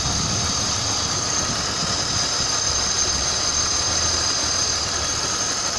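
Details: BMW M52TU inline-six at idle: dull, rhythmic knock about three per second under the hiss; cause unknown.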